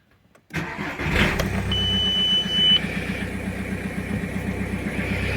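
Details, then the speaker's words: Audi A6 2.0 TDI, around 2005, that previously started and stalled after 3 seconds, with black fuel in the filter: after tandem pump replacement and finding a broken EGR valve flap, first start catches and settles into an even diesel clatter, running without stalling. "Чудо, чудо произошло. Автомобіль працює і не глохне."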